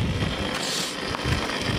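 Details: Ariston LS 603 dishwasher after repair, running cycles: steady low motor hum under rushing splashy hiss, pump operating normally.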